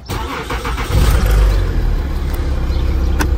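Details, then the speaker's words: Citroën C6 (same on Peugeot/Citroën) after the incessant warning beep was silenced by disabling the small buzzer speaker: starter whirs, engine catches and settles into a steady idle with no chime; indicators still work, no beep. "donc les clignotants fonctionnent très bien on a donc plus de bip sonore"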